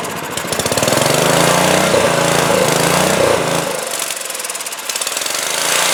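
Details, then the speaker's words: 2002 Coleman Powermate 5500 generator before repair: loud rattly single-cylinder run that sags and surges around four seconds in, keeping going only on choke; restricted carburetor main jet, carburetor to be cleaned. "well what you can see is it will start and it'll run but it'll only run on choke so we got restricted fuel flow through the carburetor Main Jet and that means we're going to have to take it down and if nothing else at least give it a good cleaning"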